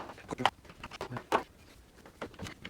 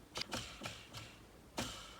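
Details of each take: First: Jigsaw reassembled with a few screws after freeing a sticking switch: handling clicks, then two steady bursts of fast even blade chatter at constant motor speed; runs normally. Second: Jigsaw disassembled for repair, dirty inside; bearing turned by hand gives quiet uneven dry clicks and scraping, worn-out bearing left in place as no replacement available.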